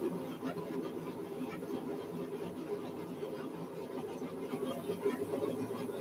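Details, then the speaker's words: New three-burner forge, front burner roaring roughly with irregular popping and spitting throughout; burner sputtering, cause unknown. "You guys hear that? Something spitting and sputtering on that thing, and I don't know if I care for that too much."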